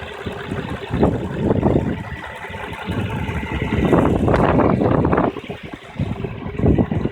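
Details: 2008 Infiniti G35x at idle: irregular rumble swelling and fading in uneven bursts from underneath the car, gone once the car moves; source unclear.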